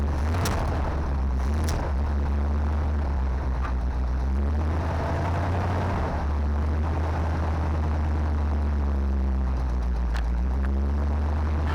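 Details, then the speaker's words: 1970 Chevy C20 dump truck V8, sat 20–30 years, first start with fresh gas: deep, steady rumble with even beat, no knocks or misses, no fuel pump leaks; normal idle. "no way man that is running way too good I got no leaks off the fuel pump"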